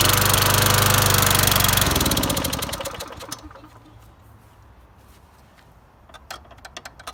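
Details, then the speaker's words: Toro GTS Recycler mower after blown head gasket replaced, fuel of unknown age, possible carburetor problem: single-cylinder engine fires and runs evenly about two seconds with no puffing, then slows and dies. "well it did start up and run now and now we no longer have a head gasket problem because it's not puffing out through the thing"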